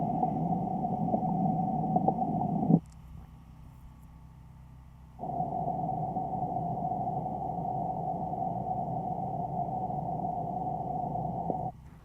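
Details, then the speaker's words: Buried water service line leaking between the meter pit and the house: a steady hissing, spitting rush heard through the ground at listening points. The sound drops away between points. "so the next step is to listen in this area and see if you can hear that bubbling spitting the buttering out"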